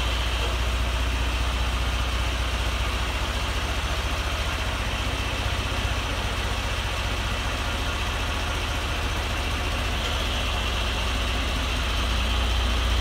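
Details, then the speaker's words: John Deere 2040 tractor diesel after water pump rebuild, new hoses and fresh antifreeze, temperatures cool: steady, even idle with a smooth low throb and no squeal, grinding or noise from the water pump; normal idle. "water-pump fixed new hoses on it full of antifreeze and it runs great temperatures nice and cool and there's no noise coming from the water pump"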